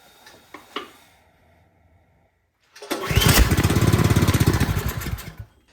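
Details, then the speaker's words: Troy-Bilt 28-inch snow blower on full choke after priming: a few pulls, engine catches about two and a half seconds then dies; spark good, fuel starvation. "All right, so we have fuel issue. Usually I would check for spark, but since it fired, we know the spark is good."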